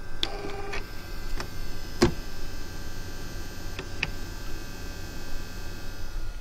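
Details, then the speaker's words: Original Xbox console whose DVD tray won't eject: scattered sharp clicks and scraping over a low hum, like grinding gears, as the DVD drive mechanism struggles; cause unclear. "kind of like grinding gears in there or something"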